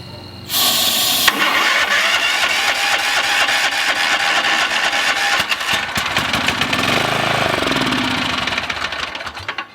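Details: Murray 40-inch yard tractor, 12.5 hp engine, in rough condition; starter cranks, engine catches in ragged few-second bursts on starting fluid then dies, puffing white smoke; carburettor suspected bad, unconfirmed.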